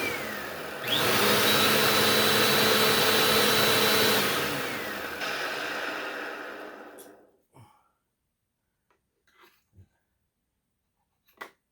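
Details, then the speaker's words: 2017 Bissell Powerforce Compact 2112 vacuum with greased original brush roll bearings: steady high roar cuts off, then a falling hooting howl on coast-down; troubled bearing later replaced; motor wind-down howl. "Ooh, didn't like that wind down."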